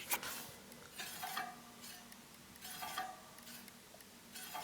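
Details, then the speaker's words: Bicycle mechanical disc brake, rotor slightly bent in storage, during caliper adjustment: faint swish about every second and a half as the wheel spins, light pad rub once per turn; still grinding, needs further adjustment. "As you can see, it's still grinding slightly, so we're going to adjust it again."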